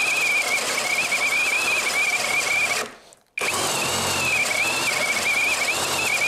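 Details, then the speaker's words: Litheli U20 cordless drill boring oak with a sharp 68 mm Forstner bit, no kickback control: high steady whine under heavy load drops out for about half a second, then picks back up; motor cutting out several times when overloaded. "Er hat ein paar Mal abgeschalten, aber ich muss ehrlich zugeben, das ist ein 68er Forstnerbohrer und das ist Eiche."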